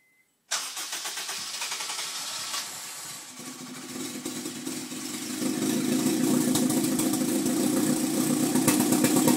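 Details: 2002 Type S with Injen cold air intake, hard to start hours after a 10-mile drive: cranks, catches, then runs rough with odd rasping; same noise with intake disconnected, cause unknown.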